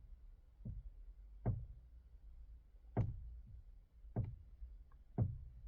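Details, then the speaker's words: Hyundai Creta 2018, front-wheel drive, 105,000 km, G4FG 1.6L: dull irregular low thuds, about five in six seconds as the wheel turns, engine on or off; steering knock felt near the electric power steering unit, tie rod ends checked. Cause suspected, not confirmed. "а так нету проходит но нет как бы подкусывает как будто либо пластмаска либо резинка тянешь тянешь так щелкает"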